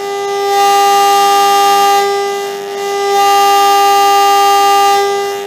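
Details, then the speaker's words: M-AUDIO powered speaker amplifier with crackling; degraded neoprene-type glue on circuit board turned conductive, notably at two resistors: hum at power-on, then loud steady piercing howl when volume is raised. "Alors quand on démarre l'enceinte, il y a ce problème donc de bourdonnement, bon ça c'est normal, mais quand on monte le volume sonore,"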